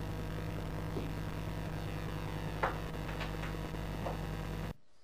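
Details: Laptop plugged into a PA mixer: steady low mains hum with a buzzy edge runs throughout, then cuts out abruptly when a ground loop isolator is inserted; classic ground loop noise.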